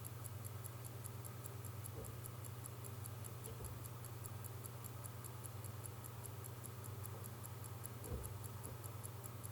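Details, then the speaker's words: 1952 J.W. Benson watch with 15-jewel Smiths movement, pull-back case left closed: steady, even ticking about three to four beats a second with a slightly hollow tone typical of the Smiths movement, no skips or hesitation; running normally. "Yeah, it has to do with the Smith's movement again. It's got that bit of a hollow tick, hollowness to the tick"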